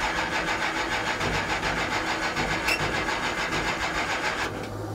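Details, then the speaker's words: 1969 Plymouth Barracuda 440 V8 with electric fan and water pump on: steady cranking at about 3.5 beats a second, never fires; zero fuel pressure, owner suspects low fuel or stuck carburettor float. "we have no fuel pressure now I had this problem last year what was it it was just low on fuel or what"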